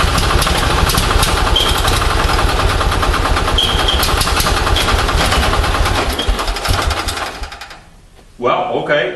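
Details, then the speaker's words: Onan 6.5 kW generator engine fired by an Arduino Uno ECU through a Toyota coil-near-plug pack gives uneven chuffing, about two firings a second, then stumbles and fades. It fires but has an ignition timing problem. "something's happening that's firing but I've got a timing problem so someplace so that's the end of this test but you can hear it did fire"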